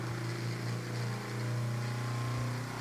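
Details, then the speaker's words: Galaxy (Lasko) 9-inch oscillating desk fan, circa 1993, running on high: steady hum with light rattle/clicking because the blade is out of balance; spin-down suggests it probably needs oil. "I'll start it off on high and it doesn't make a noise as you can hear it rattles that's because the blade is kind of out of balance"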